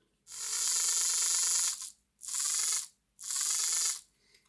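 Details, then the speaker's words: Lima Class 55 Deltic model locomotive after refitting gears and oiling axles: high gritty whirring with a thin squeal during three spin-up bursts; a worn drive gear is grinding. "We'll give that a spin. Ooh, it's making that noise."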